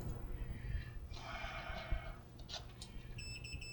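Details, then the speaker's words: 1963-64 GE AM/FM radio model T238B, multimeter on continuity touched to the tuning capacitor rotor; a steady high beep sounds, so the tuning capacitor is shorted and must be cleaned up before continuing. "Yeah, it's got a short in it. I'll have to clean that up first before I can even continue."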